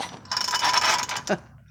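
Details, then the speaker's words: Craftsman 3.7 chainsaw: quick rasping whir with thin squeal as starter cord is pulled, then fading clatter; odd starter-pull noise, cause unclear. "we've got this uh craftsman 3.7 saw here and this thing makes a weird noise or hopefully it'll do it for y'all"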